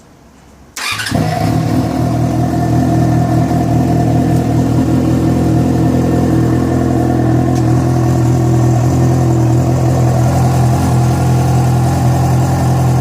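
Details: Yamaha FZ6 starting and idling, with abnormal engine noise that began after riding about 70 km on two cylinders because of a failed ignition coil connector: loud idle with a repeating tap about three times a second; cause unknown.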